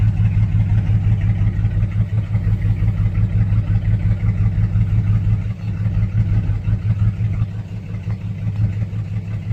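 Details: 2006 Chevrolet Silverado 4.3 V6 with P0305 and P0200 codes and a blinking check engine light. Low idle with an uneven, lumpy beat of about three pulses a second and rhythm dropouts from one misfiring cylinder. Injector, harness or ECM suspected, unconfirmed.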